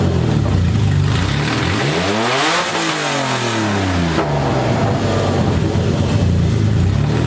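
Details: BMW E30 with burble tune on open headers only, first start-up: loud raspy six revs up and falls back cleanly, only faint overrun crackle; normal free rev.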